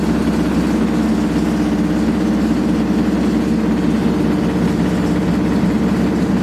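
Loud, unbroken rumbling roar at full spin with no let-up, the classic sound of badly worn drum bearings.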